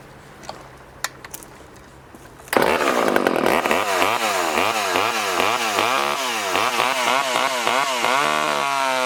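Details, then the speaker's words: Poulan 1800 Wood Shark chainsaw after carburetor rebuild, freshly hand-filed chain, cutting wood: fires at once, high buzzing rev dipping and recovering as it cuts, pulling chips; runs clean and strong. "this definitely ain't winning any races and you could probably see the chips coming off of that"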